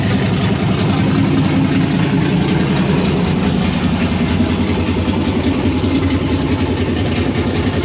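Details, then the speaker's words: 1992 Firebird with LS swap and Holley Terminator X, first start outdoors: loud V8 idle with uneven lumpy pulse about two or three beats a second, chopping; thermostat stuck, cause not confirmed. "That was a ton of work, but I'm excited. It runs, you saw it chopping."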